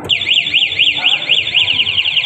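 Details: ECO 9 remote anti-theft system on a motorcycle, locked via remote: loud piercing warble sweeping up and down about four times a second as the siren sounds when the bike is tampered with or stolen; locked bike cannot be started.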